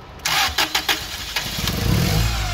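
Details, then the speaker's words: Toyota 8 Series 5,000 lb LPG forklift with 4Y-ECS engine and long-crank issue, cranked with throttle pedal pressed to add air: a few slow cranking bursts, then catches, stumbles briefly, settles into uneven idle; hard start. "So it started a bit easier, although it kind of stumbles at first."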